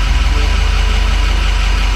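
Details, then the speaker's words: 2006 Ford F250 6.0 Powerstroke diesel at hot idle, FICM voltage 48.5, IPR valve at 22% (owner unsure if normal); deep, steady, even diesel idle with no knocks or rattles: normal hot idle. Owner's only complaint is long crank when cold. "But I guess what I'm really concerned about here is the ICP, or the high pressure oil pump, the pressure, and the IPR valve. I'm not sure if it's supposed to be at 22% at idle."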